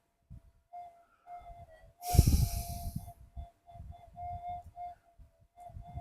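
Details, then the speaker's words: Minelab GPX-5000 metal detector in mono mode awaiting upgrade; steady mid-pitched threshold tone breaking up and wavering with low gusty noise beneath, unstable threshold hunting. "I flicked it into mono. It's hunting."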